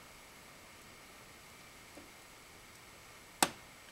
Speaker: I have no idea what that sound is, but it is definitely coming from somewhere around the vent.